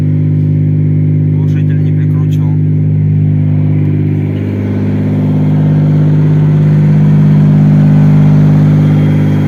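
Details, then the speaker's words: Mazda Millenia / Xedos 9 supercharged V6, 220 hp, after repairing a knock from spun rod bearings: loud open exhaust drone with an even, steady beat, no knock as revs rise slightly; normal running. "промо завёл ура пока всё хорошо"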